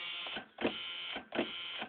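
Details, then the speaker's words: Engine with battery on booster and choke, broken positive battery terminal suspected as most of the problem; dragging, labored starter groan under two turns a second, never catching; slow cranking, no start. "I bet it'd help if if it didn't have a broken positive battery terminal I'm pretty sure that's most of the problem"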